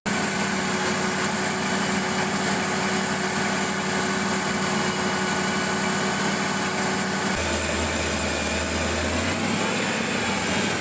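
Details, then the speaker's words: Older carbureted truck engine, warm, idling steadily; starter fluid sprayed at connections lifts the revs briefly when it reaches the leak: vacuum leak at a small intake manifold port with a homemade plug. "easiest way to find a vacuum leak on an older carbureted engine like this use some starter fluid wherever there's a leak that starter fluid is going to get pulled in and it's going to end up revving the engine a little bit"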